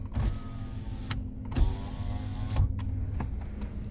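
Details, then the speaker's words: Nissan March pre-purchase check, rear power window run up and down: smooth even electric whirr with no grinding or catching; window motor working normally. "kita pijit sekali ke bawah Dia otomatis kita pijit ke atas Oke ini berfungsi normal ya autonya"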